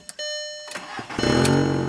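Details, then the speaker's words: 2003 VW Jetta with an intermittent stall/no-start when the driver's door is opened, check engine light on: brief starter whirr, then the engine catches at once and settles into a steady idle; starts right up. "Starts right up. So, kind of weird."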